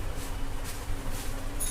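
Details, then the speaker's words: Electric egg beater after repair: it used to cut out intermittently and spark, the loose connection was tightened and the unit reassembled; short, steady low motor hum with no cutting out or crackle, now running normally. "ওকে, দেখতে পাচ্ছেন যে এটা এখন আর spark করছে না, আর সেই বন্ধ হওয়ার যে প্রবলেমটি ছিল সেটা কিন্তু নাই।"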